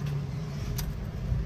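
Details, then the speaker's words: Ford EcoSport idling after a cylinder 2 misfire was fixed by swapping in a spark plug: low, steady, even rumble with no stumble or shaking, normal vibration; check engine light gone, all cylinders firing. "ayan nawala na iyung check engine tapos pino na yyung Menor hindi na siya Iyung parang Lumilindol no kita niyo naman ayan oh hindi na siya magalaw normal na lang yung vibration"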